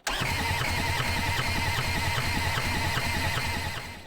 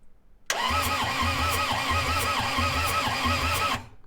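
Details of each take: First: Long-neglected diesel skid steer, glow plugs checked, cranked on 24 volts with a jumper pack: steady starter churn with even compression pulses about three a second but never fires; owner suspects no fuel reaching injectors, likely run without a filter. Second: Long-sitting skid steer diesel after valve adjustment and new valve cover gasket, compression retest: cranks about three seconds with steady, even compression pulses, no weak strokes; compression sounds improved.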